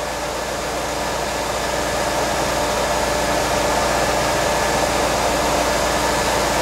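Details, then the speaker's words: LT1 V8 C4 Corvette just after intake manifold gasket replacement, idling after startup: loud even hiss, no rattle or squeal; the secondary air pump kicking on, operating normally. "I'm going to check for some leaks now down at the intake for any oil leak that's the air pump kicking"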